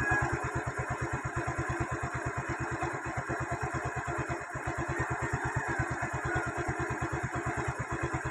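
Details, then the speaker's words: Yamaha Mio i 125 after throttle body cleaning and idle screw adjustment, idle set by ear (spec said to be 1,500–1,600 rpm, no diagnostic tool attached): quick even putt-putt about seven or eight beats a second, no stumbling; no longer stalls. "So yun lang mga paps um hindi namamatay ang Mio natin"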